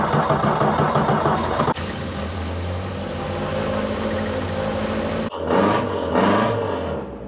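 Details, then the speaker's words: Mk2 Ford Escort with welded diff, first start after 2 months off the road and reassembly with new half shafts: engine catches and settles into a steady even low idle, no knocks or stumbles; purring, though a fuel leak was then spotted. "alive. She's purring like a kitten."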